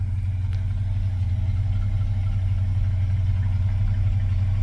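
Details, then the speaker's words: 1979 GMC C15 pickup just after a cold start following sitting. It has oil pressure and is charging. Steady, even low rumble with no ticking or valve-train clatter on top. Healthy, smooth idle. "Okay, we must have oil pressure. It's charging. I don't hear any valve train clatter whatsoever."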